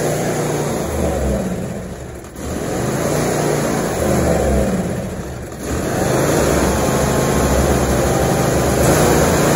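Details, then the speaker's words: 2016 John Deere X330 lawn tractor, sat about three years, fuel solenoid bypassed; runs rough only on choke, sagging and nearly stalling, dies off choke; suspected blocked carburetor main and idle jets. "so let's choke it and give it a crank i'm gonna choke it with my wrist here and as you can tell it will run on choke but as soon as you take it off choke it dies out"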